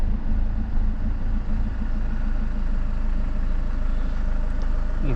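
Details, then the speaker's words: 2007 BMW 520d E60, M47 diesel, warm idle, sometimes stalls, boost pressure sensor fault code: idle sags briefly and recovers, hunting idle; owner relates it to the EGR valve. "can see at the turn how it drops and then comes back to normal. or if you hear the engine."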